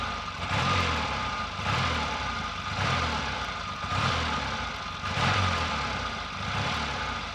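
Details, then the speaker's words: Triumph T140 twin after sorting ignition faults (plug leads swapped, points wiring traced to coils); steady lumpy idle about one beat a second, both cylinders firing cleanly, no misses. Normal idle. "i'll also demonstrate that it's running evenly on both cylinders i hope"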